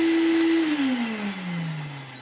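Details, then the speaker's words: 1990s Electrolux Tango Z1661 cylinder vacuum on max power, winding down: motor hum drops steadily in pitch with a thin metallic scraping underneath, the reported wind-down noise. Dry motor bearings. "but hear that metallicy sort of scraping sound. almost that. Although it it was being quite metallicy scrapy on Wow."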